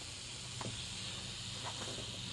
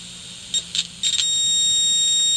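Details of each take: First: Mayfair FT-102A rim-drive tape recorder amplifier with an RCA transistor under test: constant steady hiss, no hum or rhythm, while now amplifying; noisy transistor, later swapped for a quieter one. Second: Mayfair FT-102A rim-drive tape recorder amplifier after swapping noisy transistors for a good RCA one, signal injector at the output transistor: a clean, steady high beep, loud and even after brief blips, no crackle or hiss.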